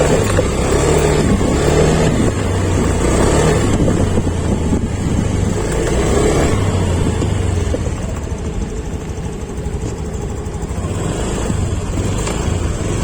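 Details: Honda Beat Sporty Deluxe scooter (year stated 2021), previously stumbling on initial throttle; after the fix, repeated blips rise cleanly off idle and drop back without stutter. Normal throttle response.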